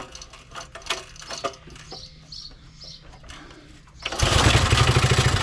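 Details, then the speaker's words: Briggs & Stratton 3hp I/C (model 80212) on a Masport rotavator, choke off, throttle about midway: a few rope pulls, then a steady, even beat with no misses or knocks. The engine runs fine. "like I say this engine runs fine there's absolutely no issues with it"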